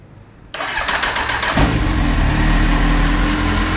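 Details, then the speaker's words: Kawasaki Z750 after fixing a knocking-like engine noise (sounded like rod knock) by replacing exhaust header rings and welding header inlets: starter cranks, engine catches and settles to a steady even idle without knocking; normal idle. "beleza mora já não faz aquela barulheira e batendo dá aquela impressão de estar batendo"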